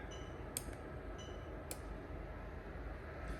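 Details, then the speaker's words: Lexus LS430 3UZ-FE VVT-i swapped into a manual right-hand-drive IS200, microphone at relay box: two crisp clicks about a second apart over low hum as the engine ECU switches the AC magnetic clutch relay; normal. "so that tells me that the engine ECU is able to control the a70 clutch relay which will obviously activate the AC system or activate the AC pump"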